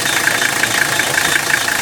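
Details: 1985 Mercedes-Benz 300CD turbodiesel, running: a rough, pulsing grind with a harsh mid-high edge that gets louder around 1,500 rpm and is barely audible above that; cause undiagnosed.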